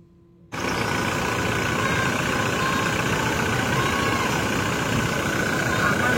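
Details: 2016 Toyota Innova Reborn diesel, after fixing a rough noise located by stethoscope at the alternator (alternator one-way pulley): starts and settles into a smooth, even idle with no rattle or rough drone from the belt end; healthy.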